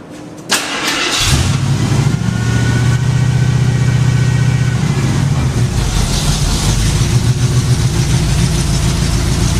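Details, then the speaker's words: Jeep started cold (said to be cold-blooded and slow to warm up): cranks, catches cleanly, revs and settles into a steady, even idle with no rattles or leaks; sounds a lot better. "there he goes [Music] Church sounds a lot better"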